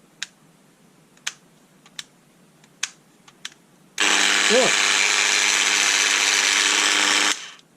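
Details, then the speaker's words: Bosch PDA 120E delta sander, 0.55 A, 120 W, bought as faulty: after a few clicks it starts with a harsh, raspy grinding roar, steady for three seconds, barely vibrating; something inside is badly wrong. "that sounds terrible something is definitely not happy in this it's not really vibrating so yes I think it's fair to say that it doesn't work"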